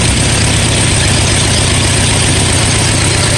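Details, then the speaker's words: Antique farm tractor on first start-up after complete rewiring and alternator installation: steady, even low rumble with no misses or knocks, sounding a lot better than the previous attempt. Normal idle. "alright wait that sounds a lot better"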